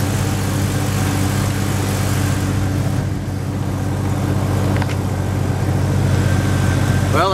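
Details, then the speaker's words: 1997 Jeep Grand Cherokee, 4.0L inline six, after a crank-no-start fixed by replacing the camshaft position sensor (distributor pickup coil): starts and settles into a smooth, even idle with a steady low hum, no misses or stumbles. "you can see that was it it's up and running now"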